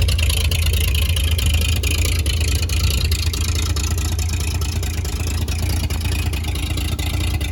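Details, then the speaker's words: 1938 Chevy Master Deluxe, chilly Alaska September, with rebuilt carburetor and starter from a 1942 G506: low, even idle with steady thump, no misses or knocks; runs very well, normal idle. "this thing runs just way too good things absolutely awesome"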